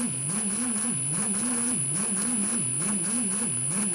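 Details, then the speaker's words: Ryobi R18PD7 brushless drill dated 2017, which cuts out at light trigger and must be released to reset: at low trigger the motor note wavers about once a second under a thin whine. The gearbox sounds strained, as if under heavy load. "You can even hear the gearbox is quite noisy. Like it's straining a little bit. Sometimes I can cut out 2 or 3 times, others just once, and but you can hear the strain at low trigger settings."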